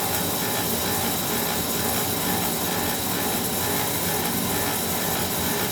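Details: Homeowner's oil boiler burner, after he changed filter and nozzle himself: constant dry rasping mechanical rattle over the burner roar, pointing to a worn burner motor bearing; technician advises leaving it since it runs all right.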